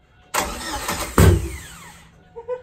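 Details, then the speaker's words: Turbo Cavalier first start with coil leads misplaced, firing order 4-1-3-2 read backwards so cylinder 1 was wrong: engine cranks, catches with a sharp bang and backfires, stumbles unevenly and dies instead of idling. "what I think what's happening is we were reading the coil pegs yeah it's like 4 1 3 2 mm-hmm we were putting cylinder 1 on here yeah because we were reading the book backwards"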